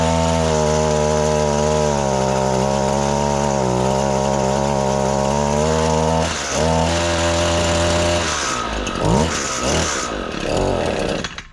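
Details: Echo PAS-225 two-stroke weedeater after a full service with a new carburetor and fuel lines, started after priming and choking, then unchoked. A steady, even buzz, then crisp throttle blips before shutdown; it runs smoothly and responds cleanly.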